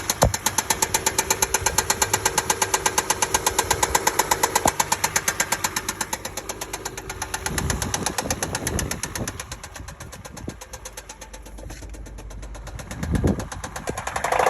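A petrol engine idles with a steady sharp knock ticking over it, persisting as revs rise near the end.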